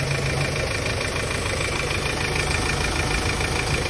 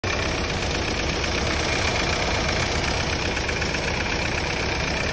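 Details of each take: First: Hyundai Starex D4CB turbo diesel, checked for blow-by after a part was replaced: steady, even diesel clatter at idle with no misses; no smoke from the dipstick tube or breather, engine healthy. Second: Hyundai Starex D4CB diesel suspected of blow-by; steady idle with a rapid, even clatter about four per second and no misses, ordinary diesel knock; fault not evident, cause suspected, not confirmed.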